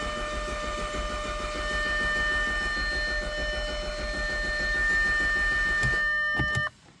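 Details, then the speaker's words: 2011 Audi A5 2.0T with P0016 and long cranking, oil pressure gauge and scope connected: steady rapid starter churning about six seconds without catching; crank no start, later traced to low oil pressure (about 40 at idle). "The car will not start. See, I just let it sit for a minute. No, it won't start."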